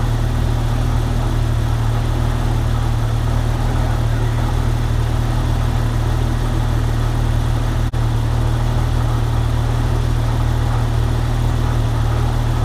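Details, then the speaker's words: 1998 Jeep Wrangler TJ after full AC system restoration and recharge with PAG oil, leaks fixed: steady idle hum with compressor engaged, no cycling clicks or squeal; blowing cold, vents at 45°, evaporator condensation, normal AC operation at idle. "It's blowing cold inside. That's not leaking anymore."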